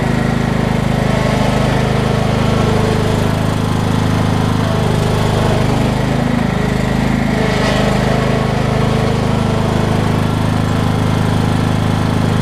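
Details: Craftsman LT2000 lawn tractor, 2003 model year, after replacing a tired drive belt: steady single-cylinder drone holding an even beat, no slipping squeal or belt chatter, tractor runs and drives smoothly; normal running.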